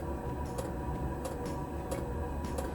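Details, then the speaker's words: Cheap Chinese diesel heater on a bench test at startup, chamber at 8–9 °C with the glow plug on until 60 °C. Soft, even ticks about every two-thirds of a second over a low hum; normal dosing fuel pump clicking. "So now the pump is activated, you'll know by this clicking sound, and when it starts, you'll hear the exhaust pulse."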